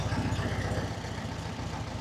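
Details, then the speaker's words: 1967 VW Beetle flat-four barn find, after the tune was set and stabilized, exhaust burning in, timing about 5–7 degrees advance: steady low burble at settled idle, even pulses, no misses or knocks; healthy. "but as you can hear and see, it's uh it's running. I don't know if I call it a Swiss watch, but it's um it's running like a European watch."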